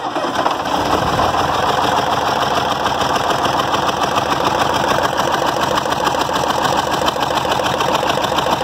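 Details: Diesel EDC engine idling with an uneven, stumbling clatter, about three uneven beats a second, like a cylinder missing; it began misfiring suddenly, with an intake valve suspected and water seen around cylinder 5; head to be removed; cause not confirmed.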